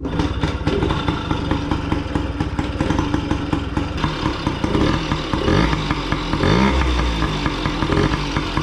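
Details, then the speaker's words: Restored 1987 Yamaha PW50 two-stroke, first start after final reassembly, aftermarket Amazon silencer baffle fitted: crisp rapid popping settling into a steady idle with clean throttle blips, running as it should. "bon voyons le bruit avec cette petite chicane made in Amazon contact starter essence"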